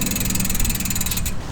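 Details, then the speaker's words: Pashley Princess bicycle after a complete overhaul of its Sturmey-Archer AW 3-speed rear hub; quick, even ticking from the spinning rear wheel fades as it slows, crisp and regular; freewheel pawls sound healthy. "Have a listen to this. Does that not sound like a bike? One operating well."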